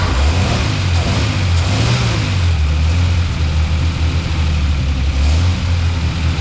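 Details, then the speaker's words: 1946 Hudson Commodore six, first start after head removal and decarbonizing for low compression, fresh oil and water, temporary 12 V battery: steady, even low rumble settling into a healthy idle, no knocks or misses, oil light off. "man that's great awesome car is actually idling now it's running which is freaking awesome you don't have to do anything with that engine"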